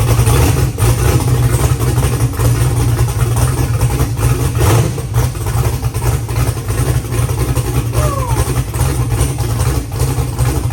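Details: First start after valve-train repair, with fresh oil and checking for the earlier valve-train noise: a deep, lumpy but steady idle with no tapping or knocking, running healthy.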